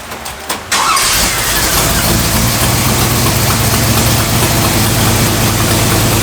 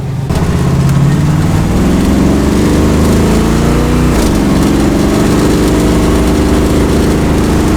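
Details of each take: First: 1965 Cadillac V8 with a newly fitted carburetor, choke off: the engine cranks, catches and holds a fast, steady idle far too high even for fast idle. The owner suspects a vacuum leak and plans to back off the fast idle screw; an exhaust leak is also present. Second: 1965 Cadillac carbureted V8 with a new carburetor, after idle mixture retuning: a deep, even note that revs up cleanly and settles without stumble or miss. Much smoother than before. Smooth running.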